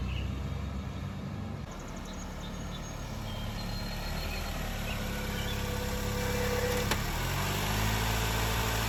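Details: 2004 Honda Accord 2.4L first start after engine swap with new oil: steady, even idle with a smooth low hum, no knocks or misses; running healthy.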